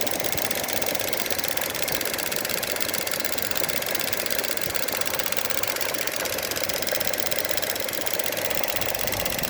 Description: Noise produced by the EVAP valve on Opel Mokka 1.4 turbo gasoline